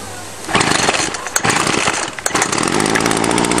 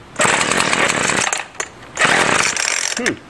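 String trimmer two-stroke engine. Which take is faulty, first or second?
second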